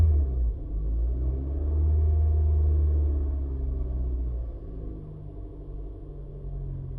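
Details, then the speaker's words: Toyota towed in as no-start, misdiagnosed elsewhere as a failed fuel pump; on restart while partially flooded, a deep low rumble swells then eases and steadies over several seconds as excess fuel clears. "What we're going to do is we're going to start it up first, and like I said, this thing will be partially flooded. That's normal."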